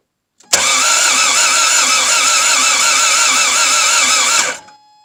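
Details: Toyota MR2 AW11 first start attempt after a new fuel pump: about four seconds of steady cranking with a wavering whir and no firing. Fuel was seen dripping on the right side near the top.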